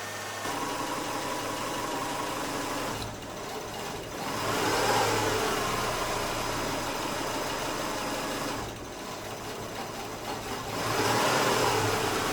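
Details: 2008 Subaru Outback, EJ25 non-turbo 4-cylinder, 5-speed manual, about 96,000 miles, warm idle: runs rough, sagging then surging, stumbling toward stalling; failing ignition coil causing hot idle stall.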